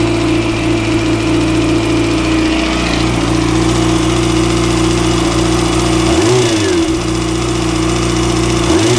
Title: Weird engine rattling noise